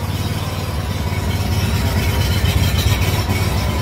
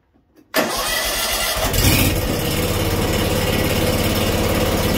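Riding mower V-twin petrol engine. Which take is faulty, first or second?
first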